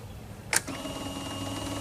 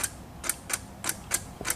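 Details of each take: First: Car jump-started with a Spanarci ZETA 2000 battery jump starter: quiet, then engine catches at once and runs at a steady, loud, even roar; cranked and started fine. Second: ZTR lawnmower with a dead battery, key turned before connecting a jump starter: sharp irregular starter clicks about three a second with no cranking.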